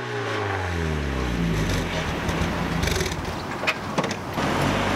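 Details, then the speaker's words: Mazda MX-5 Miata NA 1.6 with homemade welded custom exhaust with thick muffler and deadening, possible exhaust leak behind the catalytic converter, driving: engine revs down then cruises, harsh raspy exhaust edge over road noise; raspy exhaust note. "well that's the exhaust which not particularly that happy with it it is really raspy and everything even with the thick Muffler and all the deadening"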